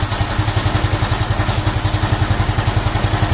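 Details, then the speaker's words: Honda Supra X 125 FI after racing valve springs fitted, warm idle: steady clatter about four knocks a second from the tensioner/magneto side, owner suspects the crankshaft counterweight, not confirmed; better than before but abnormal engine noise. "Saya belum menemukan permasalahannya, tapi ini jauh lebih mendingan sih daripada yang sebelumnya."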